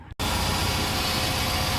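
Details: 2005 Kia Spectra just after alternator replacement for not holding charge, belt retightened: engine catches at once and settles into a steady, even idle with a smooth low rumble, no knocks or squeals; normal idle.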